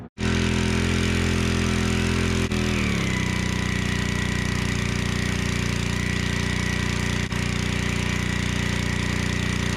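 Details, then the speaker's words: Generac 01292-2 pressure washer after carburetor replacement, pump bearing replacement and new oil: engine catches at once, settles into a steady even drone, no knocks or misses; works well. "All right, so verdict is this thing is actually a pretty good power washer."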